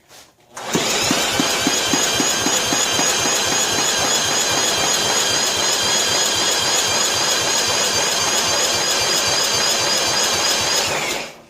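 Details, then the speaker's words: 1995 John Deere STX38 at half throttle with a wire unplugged to chase a grounded ignition circuit: steady rapid cranking at about four beats a second with no firing; no spark, cause not yet found. "No Sparky. Well, I don't know why. No spark again."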